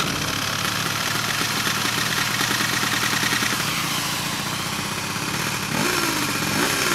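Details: Piaggio Zip SP 70cc two-stroke (Stage6 cylinder, Malossi MHR crank, Polini Evo variator, PVL ignition, 2.5% mix) rebuilt after 15 years stored: raspy even idle with a couple of quick blips, steady; normal running.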